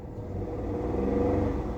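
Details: Toyota 1KR petrol engine with code P0353: runs rough and lumpy as it revs, one cylinder misfiring from faulty ignition coil connection; check engine light on.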